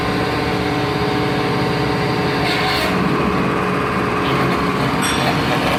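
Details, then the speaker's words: Rebuilt John Deere hydraulic pump on test bench, oil at 20 °C: 30 litres flow at 0 and at 200 bar with no loss, relief valve at 200; steady drone and constant whine under pressure, no knocks, surging or rattles; healthy. "25, 30 литров при давлении 0. При давлении 200, 30 литров, потерь нету."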